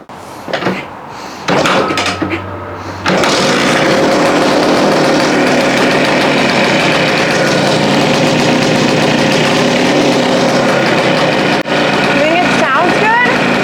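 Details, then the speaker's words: 1974 Yamaha TY250 two-stroke, first start; busy, even idle buzzing steadily with no misses or rattles once it catches, some smoke; sounds healthy. "I'm so happy this thing runs sounds like a two-stroke yes oh I'm so happy about this so happy"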